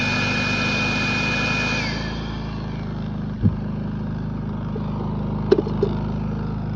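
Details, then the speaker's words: Predator 3500 inverter generator, warmed up after oil, spark plug and air filter service, about to enable eco mode: even, steady hum, pitch easing down slightly partway through; normal warm running. "now it's warmed up."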